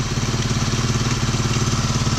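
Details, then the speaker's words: Tao Tao 110cc ATV, just fitted with a replacement carburetor and intake and started on a jump pack with choke partly on: even single-cylinder putter at idle, no stumbles or surging, better than the old carb; normal idle. "yeah I like that a little bit better"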